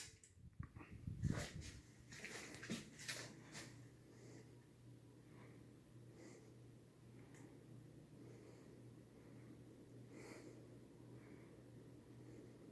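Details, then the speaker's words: Pull chain ticking against the finial below the light kit, a faint tick about once a second over quiet hum, on a 52" Homestead Universal ceiling fan (Firebird, circa 1987), four-blade setup; on high speed it whines. "that click the sound that's the mulching beaten up against the that little finial right there below the class"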